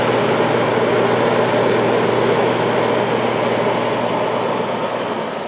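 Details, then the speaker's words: 1994 White Westinghouse 5,200 BTU air conditioner with Goldstar compressor and shaded-pole fan motor, on high fan drawing 4.5 A at 426 W just after compressor start: smooth even hum and airflow, no knock or rattle; compressor running normally and quietly. "4.5 amps right now and 426 Watts compressor is very quiet right now"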